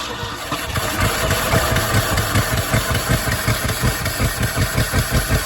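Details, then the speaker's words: 1975 Ford F250 FE 390 V8, first cold start after 30 years unstuck, mismatched spark plugs, carb problems: loping, stumbling uneven idle; rough running, owner suspects wrong timing or firing order, possibly flooding. "timing wrong. That's what it kind of sounds like."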